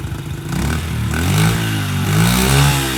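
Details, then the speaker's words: Honda CRF70F on a newly installed stock carburetor idles with a slightly wavering, surging beat. The owner suspects an air leak because the pilot screw must be almost fully screwed in. The cause is not confirmed. "I think there might be an air leak and that's why this pilots crew has to be almost screwed all the way in"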